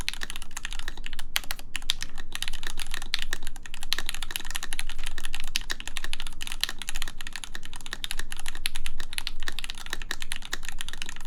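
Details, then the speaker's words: 4398 full-size keyboard with an aluminum plate, Gateron X R2 switches lubed with Krytox 205g0, and an ABS spacebar with the stabilizer screw removed. Soft, muted clacks with no spacebar rattle; it is quieter and less harsh than with the screw. "yeah that sounds nice actually it sounds a a lot a lot better I think it kind of sounds like yeah sounds like looser and it's nicer"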